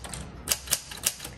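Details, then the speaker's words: 1946 Smith Corona Speedline (Sterling) typewriter: three sharp metallic key strikes about a quarter second apart with no carriage advance, keys typing on top of each other at the margin stop; margin release frees the carriage, normal behaviour. "okay so it's typing on top of itself instead of just stopping the key action it stopped the carriage action"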